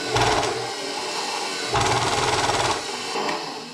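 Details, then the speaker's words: KitchenAid Professional 600 stand mixer with the top cover off, running while the motion is restricted by hand: rough grinding clatter that bogs, surges and stalls, with a wobble and no drive under load. Stripped worm gear follower in the gearbox. "Okay, so it's making a whole bunch of noise and it's stopping. It's not pushing through when I restrict it."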